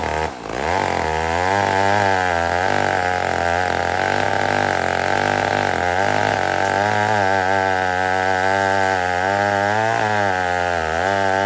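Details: Old McCulloch 1-71 chainsaw with 3/8 chain after a major carb upgrade: carb rebuilt, leaking gas line zip-tied, intake leak fixed with a double gasket. Crisp two-stroke buzz picking up and settling cleanly with throttle, no bogging or stumbling. Normal running.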